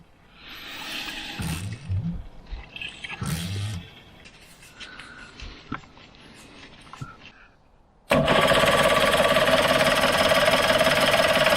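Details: Suzuki 85 hp two-stroke outboard, around 1985 vintage, unused for six years, sparking: steady fast cranking at about three and a half turns a second never catches; fuel-starved, with the carburettor jets plugged.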